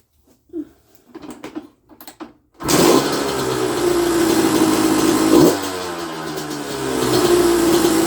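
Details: 1994 Honda CR125 two-stroke on a very cold night, after clearing dirt from the carb that was blocking the 58 pilot jet and causing bogging and stalling: fires readily, crisp idle, clean quick blips. The owner feels the bottom end could be crisper and plans an air screw adjustment.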